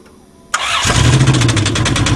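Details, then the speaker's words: Caravan 3.3 V6, driven hard by borrowers; cranks, catches and settles into a loud idle with a fast steady knock riding over it; engine knock. "Knock, knock, knock. Yep, not good."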